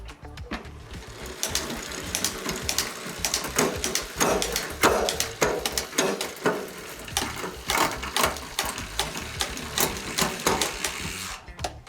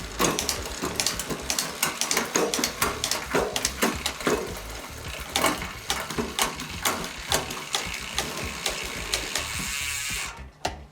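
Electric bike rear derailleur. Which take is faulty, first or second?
first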